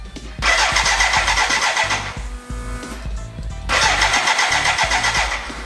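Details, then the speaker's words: BMW K100 cafe racer build, start attempt, choke on: two bursts of fast even cranking that never fire; fuel coming out of the exhaust and plugs possibly wet, flooding. "maybe maybe my spark plugs are too wet yeah i don't want to flood my exhaust too much oh this is freaking annoying it's so close but so far away no start again no start"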